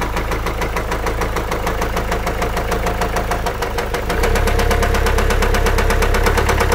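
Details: Car engine with sudden change in sound: fast, regular tapping about three per second over idle, steady through slight speed change; valvetrain-type ticking, cause unknown.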